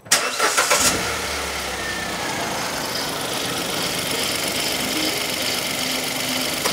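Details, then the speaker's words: 2015 Hyundai i10 1.0 petrol (Kappa) starts and idles with a rhythmic shushing chun-chun chatter, worsening over time, first thought a belt; original timing chain suspected stretched, before replacement. "I can hear a chun chun chun junka junka junka junka junka yeah it's got worse actually when you first could hear it you you sworn that was a belt so that noise now it does sound mechanical"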